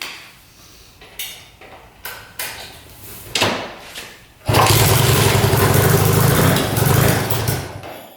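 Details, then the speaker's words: 1967 Honda Dream motorcycle, unrun for 50+ years, after new spark plugs fitted: a few light taps, then it catches and runs rough about four seconds before dying; stalls after starting, cause unknown. "Just shut off. What the heck? Let's see if it starts right back up."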